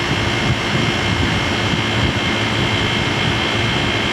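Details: Old Traulsen fridge converted from water-cooled to air-cooled with salvaged walk-in condenser coil, just charged with R134a and started: steady fan air rush over smooth compressor hum, no knocks or rattles; condensing unit running normally.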